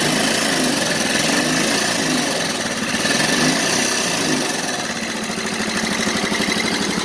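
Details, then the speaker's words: Yamaha Mio Soul scooter engine that burns oil and smokes, running with a loud, harsh metallic clatter over a rough, uneven beat before disassembly. "Disini di hadapan saya yaitu ada garapan Yamaha Mio Soul yang dimana motor ini kalau dihidupkan itu berisik sangat-sangat berisik sekali"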